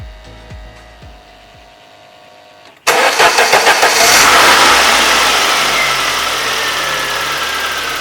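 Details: 1991 Saab 9000 2.3 turbo 16-valve, start-up after an easy repair under the coil pack for an intermittent running fault: quick crank, fires cleanly, settles to a steady even idle with no miss or knock; normal start and idle.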